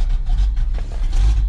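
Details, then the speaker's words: Cold start on a frosty day, started in neutral after two pedal pumps, then idling with a deep, choppy, loping idle from a big (hog) cam; the engine runs normally. "and idles. Listen to that hog cam, Duff."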